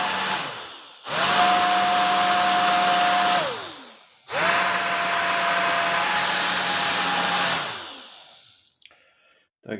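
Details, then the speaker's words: Old worn hair dryer motor run with a 0.22 µF capacitor added: two short high-speed runs, steady whine under harsh crackling hiss; worn commutator sparking, motor no longer fit for use. "widzicie że lepiej tego silnika już nie używać chyba że właśnie do takich doświadczeń"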